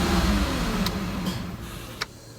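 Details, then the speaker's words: 2006 Mazda MPV engine starts then immediately stalls; a quick throttle blip makes the note sag toward a stall instead of settling, and holding rpm up keeps it running. Stalling at idle caused by a faulty idle air control valve, which was replaced. "so basically it was doing something like that where it immediately start up and then stall and you crank it over again and it would start up and stall"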